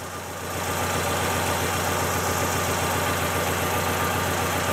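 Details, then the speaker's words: Fiat Palio petrol engine that began misfiring cold days earlier, idling with an uneven loping beat: one dead cylinder not contributing, no spark jumping from loose leads; owner suspects a clogged injector or burnt spark plug. "ahora nada todo Aparentemente bien pero hay un cilindro apagado un cilindro que no contribuye"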